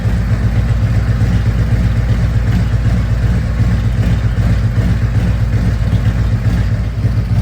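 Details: 2024 Harley-Davidson CVO Road Glide, Stage 2 with Cycle Rama CR565 cam and Thundermax tuner, warmed to 180 degrees, in spec: big V-twin loping at steady idle about 150 beats a minute, lumpy from the cam but even and clean; healthy idle.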